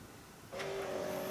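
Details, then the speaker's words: 1995-1999 Nissan Maxima power antenna after mast replacement, radio on test: small motor starts with steady, even constant-pitch whine, mast extends and motor shuts off when it should; normal operation. "good coming up and the motor is shutting off when it's supposed to good great"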